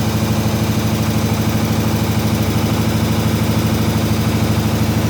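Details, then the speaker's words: 1967 IH Loadstar 1600 shop truck V8 back running during overhaul, out of gear, new clutch and pressure plate awaiting adjustment; deep even burble about three pulses per second at idle, no knocks or hissing. "Okay, everyone. Uh, birth is running again. Yeah. Uh, she needs some fine adjustments, but Yep."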